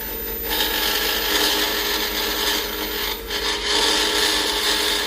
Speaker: and remember it's going to sound like that because i'm making it i'm turning it from a square to a circle and once i get down low enough i won't be chipping my part off like that